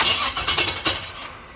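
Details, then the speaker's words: 1976 Corvette with electric fuel pump, old distributor fitted with some new parts and new plugs: catches with a few uneven, stumbling bursts then settles; rough start, owner suspects idle revving a little high. "sounds a little rough. Get a little something. Might be revving a little high."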